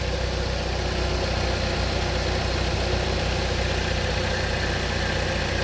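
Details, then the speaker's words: 2014 Jeep Compass after a used PCM was installed and programmed for a no-crank no-start with P0600/P0688 (corrupt CAN data); codes cleared, check engine light gone; even, steady, smooth idle with no misses or knocks, normal running. "okay, I guess that's what the normal signal looks like."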